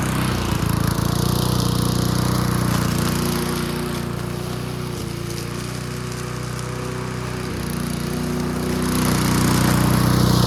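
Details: Old junkyard-find Bob-cat push mower with an aluminium deck, primed and started outdoors: a smooth, steady single-cylinder drone with only slight swells in speed, running clean and holding its revs. Normal running.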